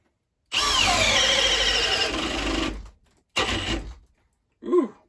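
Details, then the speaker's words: Milwaukee Gen 3 hammer drill (2804-20) boring at speed two in drill mode under heavy load: screaming motor with a rough, fluttering buzz and brief stalls; an odd noise under load, possibly clutching out, cause unclear. "you hear that oh what is that i don't know what that is that's weird maybe that's sick is it clutching out i don't know i don't know that's odd"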